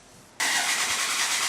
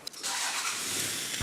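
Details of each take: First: Toyota V6 with one bank turbocharged, running ethanol on factory ECU: starter cranks steadily under two seconds with no firing; crank, no start because the crank angle sensor was left unplugged after the turbo oil feed job, so no fuel or trigger. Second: Toyota V6 with one bank turbocharged, on factory ECU, after plugging the crank angle sensor back in: brief crank then it catches and holds a rough, noisy idle; starts and runs, though not sounding happy.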